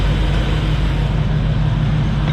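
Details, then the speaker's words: 2005 Hummer H2, 6.0L LQ4 V8, 191,761 miles, aftermarket exhaust and cold air intake: deep, steady idle burble with an even beat and no ticks, knocks or stumbles; smooth healthy V8. "this is an lq4 6 liter v8 as you guys can hear it is running nice and smooth we'll rev it up here in just a minute"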